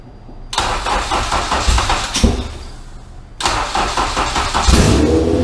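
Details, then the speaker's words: Honda Civic Si (EM1), first start after 4-bar MAP sensor backfire issue and recharged dead battery: two quick crank-and-catch starts, then harsh, loud, uneven idle through cut-off exhaust; normal start and idle. "So this thing's highly obnoxious and loud. But yeah, the exhaust is literally just Cut. But it runs."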